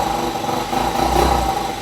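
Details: Yamaha Mio 125 RR scooter whose battery dies after 3–4 days parked. It runs at a steady fast idle with an even buzz and no stumbling or rattles. Charging reaches 14 V, judged normal, but the headlight is not lighting; engine sounds normal.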